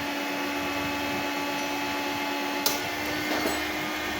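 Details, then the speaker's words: 3 kW 48 V rackmount off-grid pure sine inverter with MPPT, loaded with one blower while grid power is cut: steady even hum through a single click at changeover, no dip; transfers automatically to inverter without problems. "di sini secara otomatis langsung berpindah ke inverter ya, tanpa ada kendala untuk perpindahannya."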